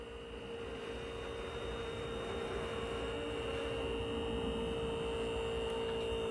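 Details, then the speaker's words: Sealine sports cruiser boat trim hydraulic pump running with reservoir about halfway: steady motor hum with rough, fizzy churning as air in the system slows the ram; air in hydraulic system, sounds better and faster as it purges. "Yeah, it's going, but it's taking ages because of all the air in it."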